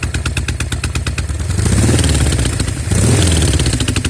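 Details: Norton Commando twin with left-side misfire, ruled out carbs, ignition, plugs, cables, manifold air leaks; some smoke from left side on throttle: uneven lumpy ticking with thuds, stumbling as it revs; cause unknown.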